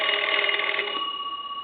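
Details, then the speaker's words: Restored Cracraft Leich wooden wall crank telephone, bell crank rewired, final checkout ring cycle: bright clear ringing from both gongs, tones ring out and fade evenly, normal bell ringing. "i'm going to go ahead and ring the telephone that gives you an idea of what it sounds like on the ring cycle"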